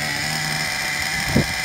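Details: 2009 Traxxas Revo 3.3 nitro RC truck after retuning. A high, buzzy, even drone holds steady with one brief throttle blip; the small nitro engine runs cleanly.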